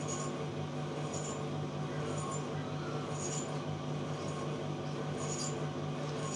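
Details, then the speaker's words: Electrolux clothes dryer, before repair: motor hum with a recurring faint squeak from the drum, starting once the drum changes direction and growing toward a full mechanical grinding; cause unconfirmed. "It's actually getting a bit louder and a bit louder till it gets to this really full-on mechanical grinding type of sound."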